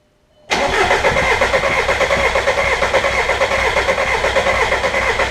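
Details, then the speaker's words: VW ALH TDI diesel after installing Bosio race 520 injector nozzles: two injector lines cracked and the engine cranked to bleed air from the opened fuel system until fuel squirts out. Steady starter churning with even compression pulses and no firing. "Got to bleed the air out of the fuel system since we had it all open when we did the injectors. So we're going to crack a couple of injector lines here. Get those cracked. Then we're going to just crank it until fuel comes out."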